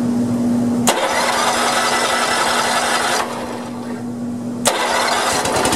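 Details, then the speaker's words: Honda 3011 riding mower with multi-relay bypassed and solenoid wire disconnected, hot day; steady whining starter drone cranks several seconds, dips, picks up, engine never catches; safety switch fault still suspected: starter cranks only with relay bypassed. "yes okay so I bypassed that and it's obviously it just bypasses the ignition going to the bypasses the relay going starter sulfur the rest of this so I still have a problem with the safety switch so I'll track that down so it but it cranked so that's great"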